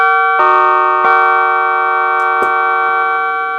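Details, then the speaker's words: Music & Sound MC602 intercom master after repair: the three-note door chime module rings three clean bell notes with a natural echo and no warbly distortion; the tones are clear as designed. "which I'm personally not a big fan of but there is no warbly garly Distortion in the tones anymore more it's nice and clear and it sounds just like what music and sound wanted it to sound like"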